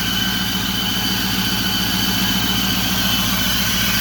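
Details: 2008 Ford F-350 Super Duty 6.4 diesel idling with a loud hiss and thin high whistle near the turbos, even after both turbos were replaced for loss of power; turbo noise suspected, not confirmed.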